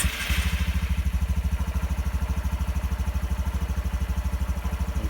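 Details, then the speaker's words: Honda Trail125 single-cylinder in neutral, no load: steady even putter of about three beats a second, no misses or tapping; healthy idle. "is idle down so um so i believe this spec for this um uh the idle speed is uh 1400 rpms"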